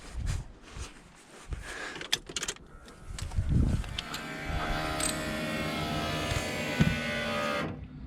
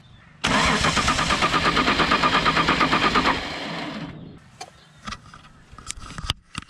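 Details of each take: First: VL Commodore no-start after fuel line repair, ignition primed: even electric buzz about three and a half seconds then clean cutoff, sounding better than before; normal fuel pump prime. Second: Holden VL Commodore cranking: about three seconds of fast, even starter cranking with no firing, then silence; no fuel out of the external fuel pump though fuel reaches it, so the pump is suspected.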